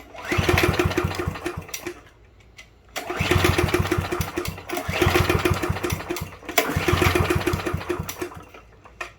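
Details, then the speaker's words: Yard Machines push mower, model 11A-02MG029, after a spark plug change and reconnected throttle linkage: three recoil pulls, each a chuffing run of compression strokes with no firing; cranks but won't start, cause unknown. "all right we got nothing I'm at a loss"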